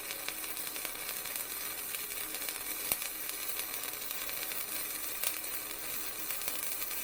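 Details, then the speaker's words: Vevor MIG 130 flux core welder, welding scrap metal, bead loaded a little at the start: even continuous frying crackle, not sputtering, popping or galloping, a steady even arc at a good setting. "running the sound of it though sounds really good that's exactly what I want my welder to sound like it's not sputtering popping it's not Galloping you know what I'm trying to say it's a steady even sound"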